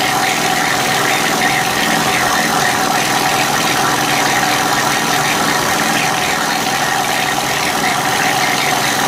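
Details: Honda EU3000is generator, partly disassembled, refitted with old gaskets, started on choke: steady buzzy running with clattery mechanical edge; owner thinks some noise comes from the crankcase, unsure if normal.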